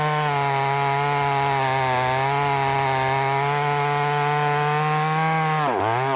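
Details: Brand-new, unbroken-in Wemars 6220 clone chainsaw on shakedown run: strong steady high-revving buzz holds pitch through the cut, then dips and recovers cleanly; loud, powerful, revs good; normal running under load.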